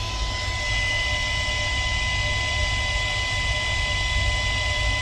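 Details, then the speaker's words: 1996 Chevy Tahoe two-door 4x4, engine idling, before a hydroboost swap: a constant airy hiss like air bleeding when the brake pedal is pressed, with weak power assist and a funny idle; owner suspects a failing master cylinder or brake booster. "it's like air is just bleeding doesn't feel like it has power brakes"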